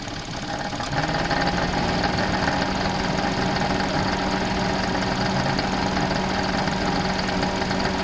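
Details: Suzuki Alto at idle, engine started into a rough, uneven rattle that gets louder with rpm; the alternator is failed and not running true, wobbling in and out under load and as the air conditioning cycles, confirmed by listening with a long screwdriver.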